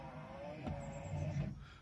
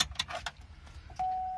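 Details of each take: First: 2005 Hummer H2 front windscreen wiper motor before replacement: low rough motor drone with faint whirring that rises then fades; worn wiper motor noise suggesting it's time for a new motor. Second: 2005 Hummer H2 front wiper motor after replacement, blades back in original position: a few light clunks, then a clean steady whir without grinding; sounds much different than before, normal operation.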